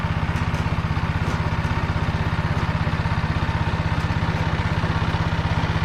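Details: Tractor driving a Motor Sich rotary tiller through the Kamyansky gearbox, rebuilt after breaking with all 3 bearings replaced, milling hard ground after winter barley: steady, even low drone with a regular beat about 160 per minute, no knocking or grinding; normal running.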